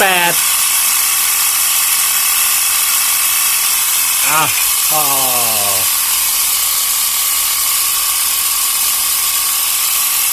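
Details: Portable 12 V piston tyre pump near 3 bar with a hot cylinder; high busy piston buzz, motor pitch briefly sagging and recovering against building pressure — normal running.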